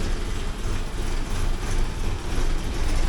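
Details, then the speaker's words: 1979 Porsche 924 cold start after fitting a new inline one-way valve at the fuel pump: low, uneven, lumpy cold idle that begins smoothing as fuel pressure rises; low fuel pressure causing the rough idle. "it's starting to smooth out the idle a bit once it gets up about here it gets a nice a fairly smooth idle for the cold"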